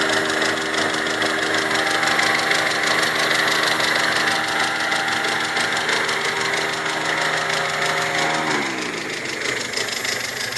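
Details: Mazda 626 idling as the radiator fan cycles: fast light chatter, about three ticks a second, over the idle; strange ticking, possibly a hydraulic lifter, not confirmed; oil-like moisture seen between engine and gearbox.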